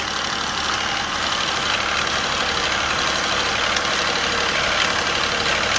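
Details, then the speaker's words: Infiniti Q50 twin turbo after both turbos replaced and catalytic converter cleaned: raised idle with an uneven, pulsing rattle that swells and fades, not consistent, cause unknown; previously rattle and blue oil smoke blamed on turbos. "So I really don't know what it is this. It's not like consistent. It's like pumping."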